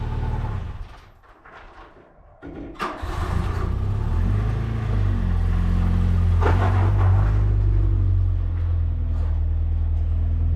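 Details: VW Mark II Polo GT Breadvan after being refuelled, the cause of cutting out having been an empty tank: brief crank, then catches and pulls into a steady even drone, no misfire or knock; running healthy.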